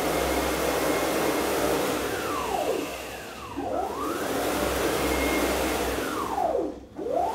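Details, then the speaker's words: CNC router with aluminum frame after replacing straight-tooth racks with helical racks and gears: smooth servo whine sweeping with each move, almost all mechanical noise gone, no gear chatter; running quietly. "as you can hear almost all mechanical noise is gone and the Machine is smoother this also means that we can run the machine at higher speeds without much mechanical noise"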